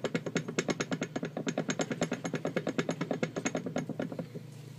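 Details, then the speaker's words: Toyota 4Runner doubler setup, 4.7 kit rocked by hand out of the vehicle: quick metallic clacks about twice a second from gear lash. Owner suspects this excessive slop causes the noise. "And this is the inside of the 4.7 kit. And we'll hear the gear lash."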